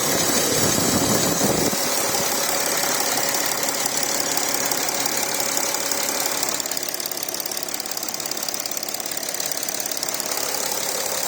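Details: Porsche Cayenne Diesel, first start-up after coolant leak repairs and gasket replacement: steady, even diesel clatter at idle, about three ticks a second with no stumble or knock; sounds healthy.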